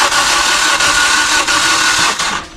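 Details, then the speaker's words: Maruti Suzuki Ertiga CNG engine cranked on starter: spins fast and easy with no labouring on compression strokes, as if no compression; weak compression from blown head gasket. "हे engine असं फिरतंय जसं की याच्यामध्ये कॉम्प्रेशनच नाही आहे, म्हणजे starter मारला की इझी फिरते."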